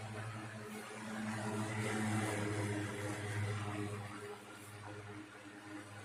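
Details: 1960s 16-inch Toastmaster box fan started up after storage since late 2022: soft even whir with gentle regular pulse, no rattle or wobble; runs good, owner says it needs cleaning and probably servicing.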